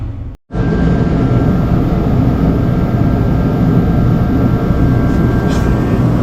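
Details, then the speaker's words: USI combo vending machine model 3155 refrigeration compressor trying but failing to start: low strained hum with faint steady buzz that never builds to a run; bad start capacitor, fixed by replacing it. "the compressor right now is not turning on in the combo machine it's trying to turn on but it's not it's making a little noise"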